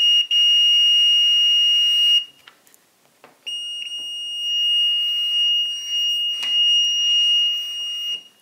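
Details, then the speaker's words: Chinese-version Fluke 101 multimeter, continuity mode: high beep in two rough, buzzy bursts that sounds scratchy, and continuity often misses; owner suspects a knockoff, cause unknown. "don't know if you can tell but that sounds scratchy it doesn't sound right to me maybe this is a knockoff I don't know"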